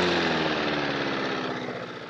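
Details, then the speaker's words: Second-hand mower of uncertain fuel state, started on choke: even soft slow putter with no misses or surging; sounds good though idle a bit slow; normal idle. "we just put it on the choke a little puff up here that sounds lovely that engine could do a bit of speeding up though it's a bit slow"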